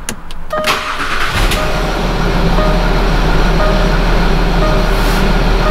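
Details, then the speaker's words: 2011 Land Rover Discovery 4 diesel after fuel filter (UFI 2445400) replacement, ignition cycled 5–6 times to prime: starter spins briefly, engine catches at once and settles to steady even idle, no air in fuel system. "всё работает всё нормально завоздушивания системы нету никакой"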